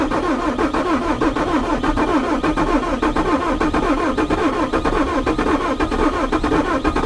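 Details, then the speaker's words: Bobcat T595 diesel, frozen solid, now on a good battery after a broken negative cable. Heavy, sluggish cranking with uneven chugs about three a second and no firing: slow crank, no start, suspected extreme cold or possibly non-working glow plugs. "That engine just really sounds like it's struggling to turn over. I would suspect, I suspect it's just really damn cold."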